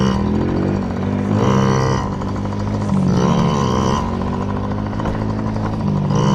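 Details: Yamaha PW50 two-stroke, just after carburetor cleaned (jets, float checked) to cure bogging and dying at wide open; warming up: crisp buzz climbs cleanly with each throttle blip and settles back without stumbling, running healthy.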